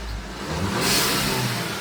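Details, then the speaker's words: VW EOS turbo petrol, warm, after replacing diverter valve and spacer: revs cleanly with rising rush of air, smooth and crisp; earlier misfire gone and no longer losing boost. "Um, car is already warm, so let's give it a rev. That is a lot more crisp."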